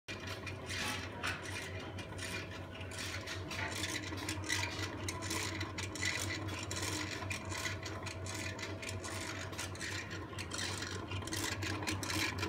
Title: Salon/barber shop revolving sign with noisy bearings